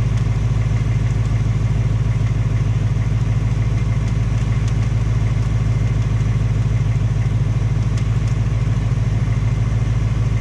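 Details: 2018 Ford Mustang GT, second engine at only 1200 miles, steady V8 idle with a fast even tapping about three per second over the rumble; ticking knock, piston slap or Coyote tick suspected, unconfirmed; Ford fitting a third short block.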